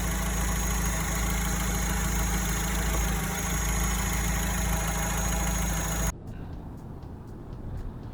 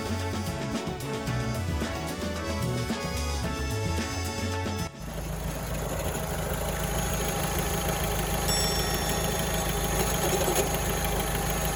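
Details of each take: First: Alfa Romeo 159 after A/C compressor replacement for engine-bay rattle: steady, even idle with a smooth low drone and no odd whine or rattle; owner still hears faint metallic sounds, perhaps unfamiliarity. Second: Alfa Romeo 159 idling after long highway drive over rough, potholed road: steady dry rattle from the front of the engine bay at idle pace; failing A/C compressor.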